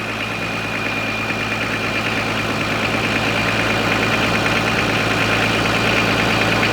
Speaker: he sounds good too nice whistle to her straight off the turbo